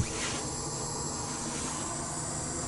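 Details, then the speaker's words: GAZelle van with propane LPG system that stalls when switched to gas, running on gas: continuous sharp hiss with faint low hum and a strong gas smell; leak location unknown, suspected gas escaping in the system. "капец идёт страшная вонь газа во слышите"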